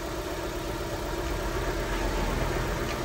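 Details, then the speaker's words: Honda Civic 1.7 (2001–2006) idling unevenly with a lumpy beat; unplugging the cylinder 4 coil changes nothing, so cylinder 4 is dead, suspected coil, spark plug or injector; misfire at idle. "eu tirei o cabo do quarto cilindro o primeiro segunda lá na Correia lá motor continua o mesmo motor não alterou então Teoricamente o defeito está no quarto cilindro"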